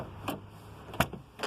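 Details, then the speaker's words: Nissan Micra K11 manual door lock cylinder after fixing its sticking with GT85 lubrication and working it back and forth: three crisp mechanical clacks with no grinding or binding; door lock now operates normally. "has got it got that cylinder working at an acceptable level so i put it back on just to sort of demonstrate to you there's a door locked"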